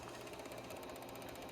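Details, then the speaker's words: CD-ROM drive in a 1997 Compaq LTE 5400 laptop running Windows 95, making a faint, fast, rough whirring and ratcheting grind while spinning the disc. It sounds unhealthy but did not fail, and the cause is unconfirmed. "that drive doesn't sound too healthy either I'm gonna have to make some repairs to that"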